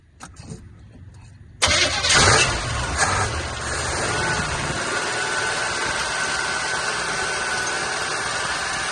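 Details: Cheap Chevrolet squarebody truck, fuel pump confirmed working after a fuel supply problem: short crank, then it catches and settles into a steady idle without stumbling; engine starts and runs.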